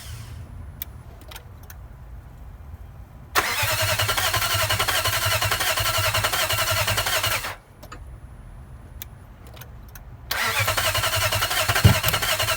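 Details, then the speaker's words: '03 Nissan VK45DE V8 swapped in for a blown '02 engine, front camshaft sensor just replaced, fuel pump not heard priming: two long bursts of steady cranking at about four turns a second, only faint light backfires, no catch; crank no start. "There it is. A couple backfires, like little light backfires every once in a while, and that's it."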